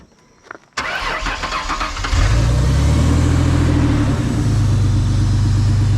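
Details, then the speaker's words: Vehicle after a trailer-race hit pushed the fan shroud into the pulleys and belt: starter whirs, engine catches and idles steadily with no squeal or rubbing from the belt; shroud self-clearing, runs normally. "Start it up and see if it makes any noise. It doesn't."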